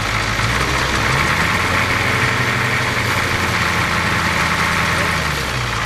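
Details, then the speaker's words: Ford 6.9 diesel truck idling smoothly with a steady even clatter, no stumble or smoke, after new injection pump fitted; earlier low compression on one cylinder (150 vs 350 psi), injectors and head gaskets replaced. Normal idle. "So, what we ended up doing, I put a new injection pump in it. And as you can see, it's running real real nice now."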